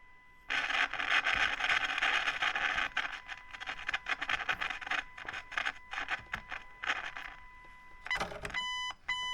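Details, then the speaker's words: 1968 Selmer Vanguard tube amp, long unused with missing tubes, powered up with the tubes still warming up; a steady test tone through its small speaker is buried under irregular crackling and sizzling frying bursts whose cause is still unknown. "got quite a bit of frying coming through that speaker course that speaker is not very big so we're not expecting a lot out of that"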